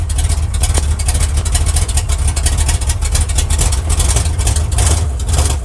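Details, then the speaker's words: 1979 Chevy engine started after about a week sitting, uneven lumpy misfiring idle with stumbling beat and deep thuds low down; owner suspects a loose torque converter causing the knock, spark plugs to be checked. "that's actually sounding better than it has been but something's still wrong with it so you might not have been able to hear it but I could hear a knock down here"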